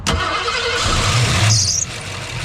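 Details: Duct-tape drags road-trip car after new ignition coil fitted: starter churns briefly, engine catches and settles into steady running note with no misfire; starts normally.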